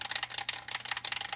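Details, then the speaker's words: Five-gallon aquarium filter: rapid, uneven light ticking about ten a second from the visibly vibrating filter hose. Owner guesses a snail is inside; the cause is not confirmed. "that's really noisy my guess is there's a snail in there"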